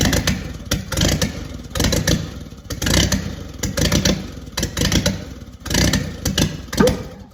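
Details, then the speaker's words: 1943 Willys Go Devil WWII Jeep engine, not run in decades, first start after fitting a new distributor cap, coil, starter and spark plugs: catches and runs in uneven surging bursts with some clatter; fired right up, oil pressure good, running as it should. "This was much easier than the other two engines I did. All I put on it was a distributor cap, a coil, a starter, and new spark plugs. And she fired right up."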